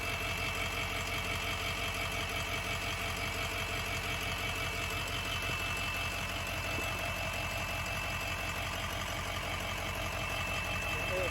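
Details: Ford F350 6.0 diesel, leveled, about 113k miles, after scan-tool checks of ICP, FICM voltage, battery voltage and oil/coolant temps all read good: steady, unhurried idle clatter at about three beats a second with no misses or knocks; healthy.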